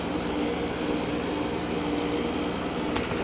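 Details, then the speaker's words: Condenser (1990 Tempstar/ICP, scroll compressor, still running in 2018) just after start-up with a startling click. A steady fan whoosh with a faint low hum and a slightly rough, uneven tone; air blows out the side only, and it doesn't sound healthy. "As soon as I shut the camera off, I heard it click and it scared the daylights out of me. It doesn't sound too healthy."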